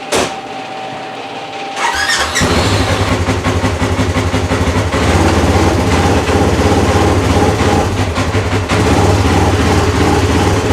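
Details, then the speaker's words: 2017 Polaris RZR XP 4 1000 after frame-up rebuild with a thick belt fitted: cranks, catches and settles into a smooth steady beat under gentle drive; the earlier loud high-pitched clutch whine is gone. "oh that's smooth that loud wine from the clutch is gone too that's good"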